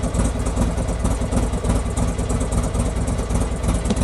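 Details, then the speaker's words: Buell XB12 V-twin after its spark plugs were cleaned and regapped: deep, loping idle with a steady, slightly uneven beat and no knocks or rattles. It runs a bit better, though the plug gaps may be slightly too big. "Happy days. Seems to be running a little bit better as well."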